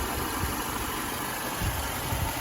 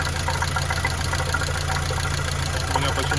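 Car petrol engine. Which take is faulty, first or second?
second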